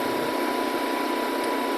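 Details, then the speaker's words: Generator on a Thor Four Winds 23U Class C RV, started to charge the house battery (12.4–12.5 V before, voltage starting to climb): steady even mid-pitch hum, no knocks or surging; generator running normally and charging. "And there, it's starting to climb already, so it's charging."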